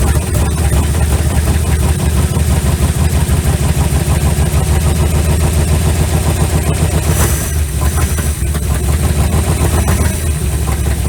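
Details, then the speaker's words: 1956 Ford Customline, 292 Thunderbird V8, sat 50 years, with fuel squirted into the carb fuel inlet: it catches and runs rough and low for several seconds, then sags and dies. Brief run on priming fuel, then stall; carb needs a proper fuel supply. "ran longer than i expected"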